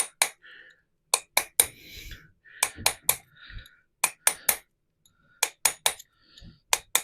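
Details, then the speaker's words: Restored 50-year-old MGB tube rear axle, driving bearing home with punch and hammer: about a dozen sharp ringing blows, mostly in pairs, tone changing from open to close and dull once the bearing is fully home. "just to check the noise make sure it's um definitely all the way home when I say check the noise it'll go from like a almost like an open noise to really close noise"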